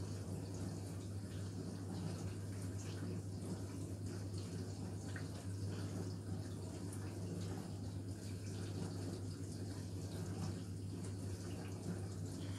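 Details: Indesit dishwasher: steady rush of water with a low hum underneath, even and unbroken; the dishwasher is filling normally.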